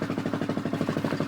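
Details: Honda 400ex single with a failed Namura piston, before top-end teardown: even, steady, unchanging thumping beat at warm-up idle, running a little rich but not bad.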